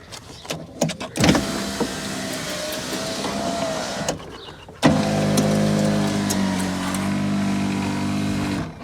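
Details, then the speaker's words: Driver's door window on a Rover 416 GTi after regulator/motor repair with newly soldered motor wires, running up and down twice for about three and four seconds with an even whir, no grinding, slowing or stalling; normal operation. "window goes up and down fine"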